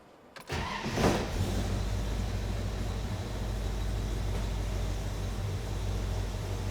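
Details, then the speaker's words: 1974 Plymouth Duster, 340 Mopar V8, Edelbrock Performer intake, 600cfm 4-barrel, electric choke, points distributor, 2.5in exhaust with turbo mufflers, 727 TorqueFlite automatic; short crank, quick catch, deep even burbling idle, no knocks; normal start and idle. "So, we'll just take a moment now, lower this, go underneath the hood. That way, we can go ahead and fire up that 340 Mopar. Let you hear exactly what that motor sounds like."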